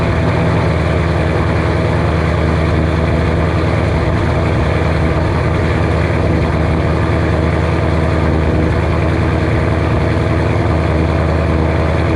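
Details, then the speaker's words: 2007 Ford Shelby GT500 supercharged V8 with L&M NSR cams, first cold start after install: deep steady burble holding a fast even cold idle, no misses or knocks; healthy, expected to idle down lower when warm. "first cold start with the normal idol and everything it's cold let's see how she sounds"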